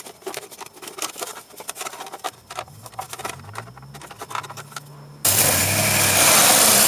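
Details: 2006 Jeep Grand Cherokee 4.7L after an exhaust manifold leak repair with broken manifold bolts replaced: after handling noise the engine fires and runs steady and even with no ticking or puffing from the manifold, sounding healthy.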